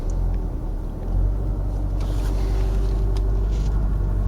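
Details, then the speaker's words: 2009 Ford Mondeo 1.8 TDCi Duratorq QYBA diesel held at 1500 rpm fast idle: deep, uneven rumble with knock/misfire, shaking, no fault codes in IDS; attributed to a faulty injector. "so bang on 1500 rpm we've got the knock or the miss um no fault chords registered in ids"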